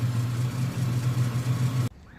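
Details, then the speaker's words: 1995 Nissan Pickup 3.0L, after PCV valve replacement and idle adjustment for cutting out when warm. The warmed-up idle rose on its own and stays smooth and even with no knocks or misses until the engine is switched off. Normal idle. "well we got it went up on its own actually so something is adjusting the idle all the equipment's probably working for the most part so he's happy"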